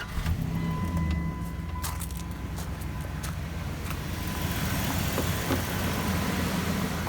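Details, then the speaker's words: 1999 Dodge Ram 1500 after swapping the original ignition coil for an Accel SuperCoil with an adapter harness. A steady, low, even idle with no misses, smoother and quieter than before, with a neighbor's mower in the background. "lly actually satisfied with the performance it does idle smoother and it's not as loud as it used to be"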